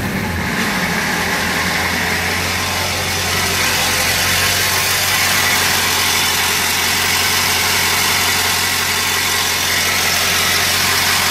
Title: 2000 7.3l rough idle issue diagnostic video